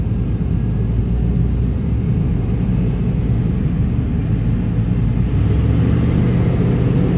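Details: 1995 Chevy Tahoe K-series 5.7L V8 idling rough: deep rumble with uneven lumpy beat; scan shows throttle position sensor not communicating, truck won't shift, TPS replaced twice; owner suspects wiring; smoke seen near passenger-side headers.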